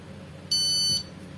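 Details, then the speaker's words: Epson LX-310 dot-matrix printer that won't pull paper: at power-on all indicator lights flash and two shrill even beeps sound, carriage doesn't move; suspected jam or carriage motor fault, not confirmed; printer error beep. "fast is turned on, all indicator lights are flashing and beep tit tit sounds like that, yes, this was 5C friends, but for sure this light will turn on, only it won't move."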